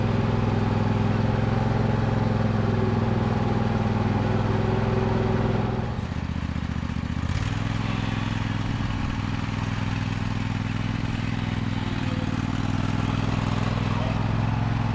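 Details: John Deere L120 riding mower, after hydrostatic transmission bleeding: steady single-cylinder idle hum that settles briefly lower and carries on evenly, no knocks or grinding; running normally.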